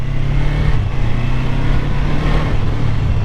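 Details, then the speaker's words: 1985 Kawasaki 454 LTD EN450 twin, first running in a decade after valve adjustment, new plugs, carburetor rebuild, compression 150/140 psi, ridden on street: steady throaty drone like an angry lawnmower, even firing, no knocks; engine healthy, though front brakes weak. "it sounds good though just an angry lawnmower it just doesn't stop unfortunately"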